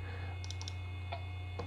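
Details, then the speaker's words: 25-year-old SyQuest SparQ 1 GB cartridge drive reading files: soft, scattered little clicks over a low steady hum, a short cluster then single ticks; heads seeking normally while reading. "yep it's reading the contents of the files and I can hear the sounds of the heads when I read these files"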